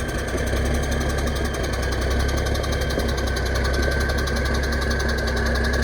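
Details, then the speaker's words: Kenworth K100 diesel truck idling after fuel system plumbing, brakes being held while backing up: loose uneven clatter over the steady idle is the air compressor building air; normal. "and if you if you hear that that's the air compressor that's the compressor doing that"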